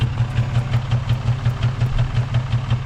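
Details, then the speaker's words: 2006 Nissan 350z in neutral at idle, then revved: lopsided thumping stumble about three per second with heavy shaking; consistent single-cylinder misfire, suspected failing original coil pack. "Oh, it sounds terrible. I'll rev it up a little bit. Oh man, this thing shakes a lot."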